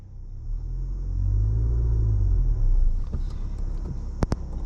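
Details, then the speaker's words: Manual car pulling away from a standstill in third gear, straining the clutch: deep heavy rumble swells and labours for a couple of seconds without the revs climbing freely; engine lugging in too high a gear. "इसलिए, आप car को रुके हुए स्थान से चलाने के लिए तीसरे, चौथे या पांचवें जैसे उच्च गियर का उपयोग नहीं कर सकते।"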